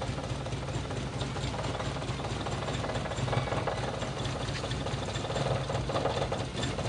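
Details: Toyota Kijang engine idling quietly: uneven limping beat with irregular dips in firing, running rough; misfire (pincang) though all spark plugs checked normal, so cause may not be the plugs.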